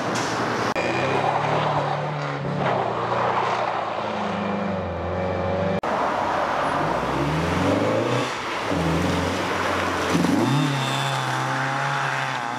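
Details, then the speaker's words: Mazda MX-5 Miata NA 1.6 with a cheap custom-welded exhaust, thick muffler and deadening, revving hard through the gears: harsh, raspy, buzzy note; an exhaust leak is also present behind the catalytic converter; raspy exhaust. "well that's the exhaust which not particularly that happy with it it is really raspy and everything even with the thick Muffler and all the deadening"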